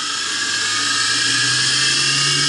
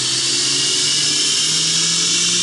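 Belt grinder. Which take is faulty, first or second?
first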